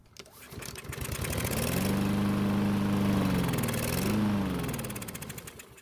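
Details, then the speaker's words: Craftsman mower left over winter with ethanol gasoline: pull-start cranking rises to a brief chug, then dies; stale fuel starving the carb, fix is draining tank and bowl and clearing the pickup jet. "you left gasoline with ethanol in your gas tank over the winter, be prepared for this to happen. Even with a bit of gasoline in the carb's throat, may not get it going again."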